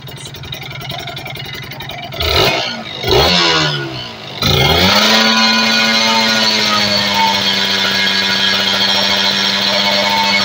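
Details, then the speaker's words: Kawasaki Ninja RR two-stroke after cleaning carburetor, reed valve membrane and the Superkips power valve (opens around 6,000 rpm): starts, blips a couple of times, settles into a crisp, steady, even idle, louder and running cleanly. "Oke motor sudah lebih nyaring kayaknya suaranya ya"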